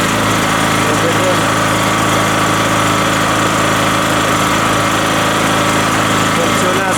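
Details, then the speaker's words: Rotakt generator on its first start, choke eased to run position, warming up with no load while the voltmeter reads 232 V: steady, even drone at constant speed with no misses or knocks, settling into a smooth, normal idle. "put the choke slowly on the run position I let him a little for warm up after which I will take a test"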